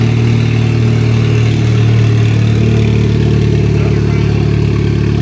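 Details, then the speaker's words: 2004 Chevy Cavalier 2.2L Ecotec I4 with 57mm turbo, first start on two-year-old fuel, no intake or exhaust sensors fitted, exhaust half installed: deep, steady, even rumble with no knocks or misses, fairly loud; runs normally. "So I guess it sounds pretty alright with something with no sensors on it. It's pretty loud."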